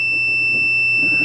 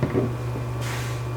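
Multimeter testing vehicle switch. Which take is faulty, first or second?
second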